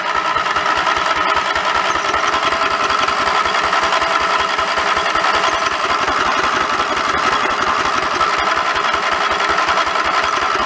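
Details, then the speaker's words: Mid-1980s Snapper rear-engine rider, 11 hp Briggs and Stratton industrial L-head, sat four years, carburetor reworked; steady fast starter churning for ten seconds never catching; fuel reaches carburetor but no spark. "apparently we got no fire we actually got some fuel coming into the carburetor so i guess we gotta back up and try something different"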